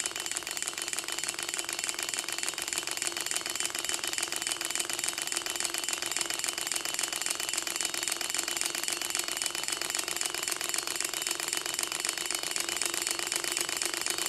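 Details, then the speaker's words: Gatling Stirling engine with six displacers, after a broken glass liner was replaced; fueled and test run. Fast, light, even ticking at a constant rate with no low rumble; running smoothly on its own. "Fuel it up and give it a test run. See it move a little bit on its own, that's a good sign."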